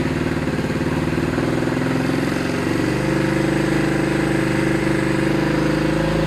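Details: Racer small motorcycle after repair of sputtering, no-pull problem (loose main jet and emulsion tube, dirty carburetor, filthy air filter cleaned and oiled): engine pulses evenly, revs smoothly, holds a clean higher speed.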